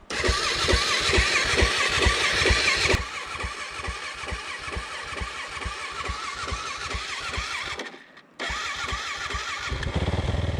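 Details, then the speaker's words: Dirt bike during deep riverbed water crossings: engine catches with uneven stumbling pulses, cuts out and refires; keeps dying in deep water, owner blames the coil but says it is not sucking in water. "so my bike doesn't seem to like the deep water at all it keeps cutting out and that makes it difficult to do water crossings"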